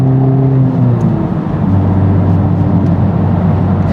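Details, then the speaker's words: Honda Civic Type R (FL5) on the road after a DIY transmission fluid change: engine pulls cleanly with even road drone, no grinding or clunk between gears; owner thinks the fluid warmed up, shifts feel smooth, normal gear shifting. "I think the transmission fluid warmed up. Feels pretty smooth. Feels good."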